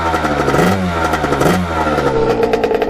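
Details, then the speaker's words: 1989 Kawasaki KX80 big bore two-stroke with a new pilot jet, main jet kept at 122, smoking less; crisp blips rising and falling cleanly, no bogging, popping or stumbling, normal running. "you guys can hear it really run great now so that pilot jet did make a little bit of a difference it doesn't smoke as much now"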